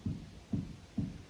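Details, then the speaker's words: Jeep Grand Cherokee front suspension, wheel levered up and down: dull, evenly spaced clunks about twice a second; lower ball joint moving about a quarter inch, causing rattling over bumps. "it's moving almost a quarter Maybe a little more than a quarter of an inch on that ball joint and that's what's making all that rattling"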